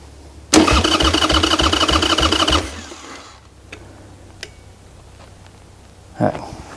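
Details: Wrecked 1996 Harley-Davidson Sportster 1200, garage-stored several years, carburetor possibly gummed: starter churns steadily about two seconds without a single catch while losing power; owner tries starting fluid.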